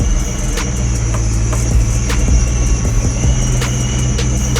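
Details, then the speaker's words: Procharger-supercharged Ford Mustang Mach 1 on revised base tune, cold before warm-up: deep idle rumble that lopes and stumbles unevenly; rough idle, cause not confirmed. "Barna like idling so rough"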